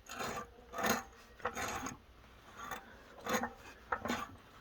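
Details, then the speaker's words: Wildcat 223 engine turned slowly by hand after fitting a new race cam: dry rasping scrape in short bursts. Owner suspects the casting is catching the compression release weight. Rubbing noise when turned by hand. "okay it's ever so barely making a noise and what i believe that is is the casting you know the filings here um just barely catching the weighted section of the spring on the compression release"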